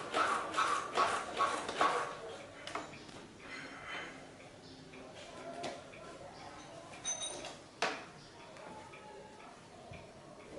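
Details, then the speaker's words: Rear shock squeak on a Vietnamese copy of a Honda Super Cub: sharp high squeaks about twice a second as rear suspension is bounced with rider seated; owner suspects spring rubbing shock case due to missing plastic cover; greasing pivot shaft only slightly quieted it. "多分リアサスだと思うんですけどね、きしみ音がするんで、メンテナンスしていきたいと思います。"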